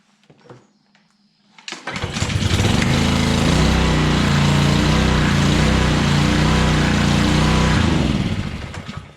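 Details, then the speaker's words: Small pressure washer engine after cleaning ethanol-separated fuel and water from tank and carburetor (sat a year or two with 10% ethanol fuel, fuel switch left on); pull-start catches at once and settles into a steady, even drone; runs normally after carb clean. "she's a runner so that's that cleaning your pressure washer"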